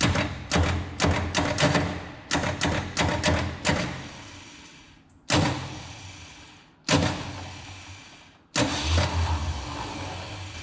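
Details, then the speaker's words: 1970 Ford F250 with a 351 Windsor, unused for 24 years, cranked through the solenoid: short, heavy starter bursts that stall after a few slow bumps while the battery cable gets hot; the engine is seized. "starter is not happy about the whole situation though [Music] oh that battery cable is getting hot don't lean into that I wonder if we pry on the fan and bump it [Music] I don't think it's really budging much"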